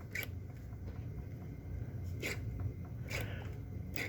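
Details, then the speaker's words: Bench-tested model-train motor-on detector relay after adding a capacitor to stop its rattle and buzz: four crisp clicks switching forward, neutral, reverse over low room hum, with no buzz or chatter. "forward neutral reverse hear that hear that no um noise no rattle"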